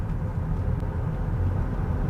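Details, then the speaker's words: GMC Acadia that sat for two weeks, owner reported rear brakes acting up, test drive while braking: only low, even road rumble with no squeal, scrape or grind; brakes quiet and feel good. "they feel good I didn't hear any break noise that time guys that's very exciting"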